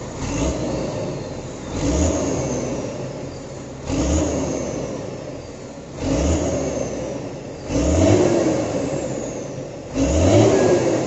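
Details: Hino 500 diesel truck engine after valve clearance adjustment: settles to an even idle between five clean throttle blips about every two seconds, with no ticking or knocking; sounds healthy.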